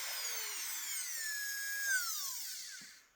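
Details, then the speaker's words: Carving micro motor after cleaning and checking brushes, at minimum controller setting, 45,000 rpm: high-pitched smooth whir at steady speed, no rattle or scraping, winding down when switched off; runs like new. "And that's 45,000 RPMs right there, guys. 45,000 RPMs."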